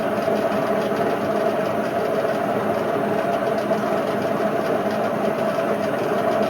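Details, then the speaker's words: Indesit IWC71453 7 kg washing machine on a test spin with a replacement belt after the old one split: a loud, steady full-spin roar with a rough churning undertone as the drum thrashes on its shaft, the worst drum bearing failure yet. "I've honest to God never had a bearing failure as bad as this. This Indesit tops them all off."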